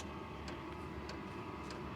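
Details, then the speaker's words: Diesel heater with a quieter muffler, before the sound-deadening foam is fitted, running on power level one: soft regular fuel-pump ticks about every 0.6 seconds over a quiet steady fan hum. Normal running at low power. "Okay, right now it's running on power level one."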